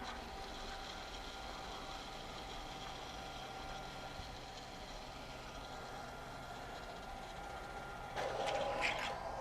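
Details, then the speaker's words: RYOBI RY20UP02 18V One+ telescoping pole pump, battery powered, pumping water from a bucket with the hose in the bucket: faint steady motor hum and constant whine under water noise, pumping fast without labouring; normal running. "Okay, put our pump in the bucket, put the hose in the bucket, and let's turn it on. That's pretty fast."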